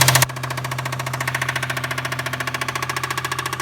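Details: 1996 Toyota Tacoma 3.4 (5VZ-FE) with good compression: quick, loud metallic tapping at several taps a second over idle. Coil packs, wires, plugs and injectors were recently replaced; owner suspects possible rod knock, cause still undiagnosed.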